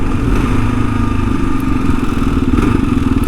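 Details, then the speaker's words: 2022 Kawasaki KLR 650 single-cylinder riding on a rough track: light buzzing rattle over the engine vibration, owner guesses a loose plastic panel; rattle while riding. "you guys can kind of hear that vibration there's a little um rattle there's some sort of a rattle right there and it's probably one of these plastics i'm guessing it's just loose or something"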